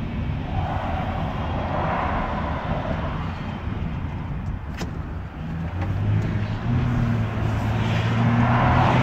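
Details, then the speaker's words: 2011 Toyota Sienna AWD driving from a stop, airplane-like droning whine from the rear that worsens with acceleration and disappears when stopped; a mechanic's stethoscope placed it at the rear differential. "so it's like an airplane was about ready to take off the more you accelerate the the worst of noise gets"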